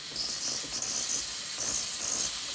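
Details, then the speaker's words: Breville Barista Express BES870 steam wand purged after milk steaming to cool the machine: strong, steady high-pitched hiss of steam at pretty strong pressure; normal purge. "so now the machine is cooling down thring some water through the boiler there we go give it a quick"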